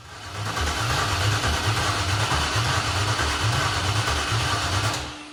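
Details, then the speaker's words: 2001 Chevy Silverado 1500 with a swapped-in 5.3 LS V8 from a Tahoe: loud, uneven, lumpy open-header idle; misfire because one cylinder has no spark, its mouse-chewed plug wire missing. "so apparently the ls is you got to have all eight spark plug wires who knew"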